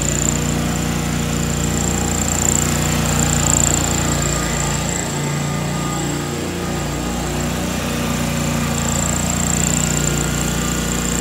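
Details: 2003 John Deere X485 garden tractor, 25 hp liquid-cooled Kawasaki EFI engine, 660 hours, fuel pump just replaced: starts right up and runs at a steady, even drone with no knocks or misses.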